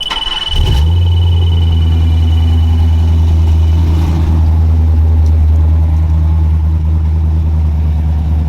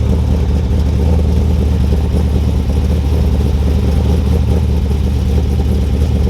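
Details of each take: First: Black C10 LS-swap truck at its first fire-up with new injectors and fresh fuel: it catches and holds a steady idle with a deep droning hum over the rumble. The owner calls it a cam drone, cause still to be looked into; it still needs tuning. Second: Cold-start idle of a 383ci LS1 stroker just installed in a 2002 Trans Am, after a cam-sensor fix; deep, steady V8 rumble with an even low beat, no ticks, knocks or stumbles; normal idle.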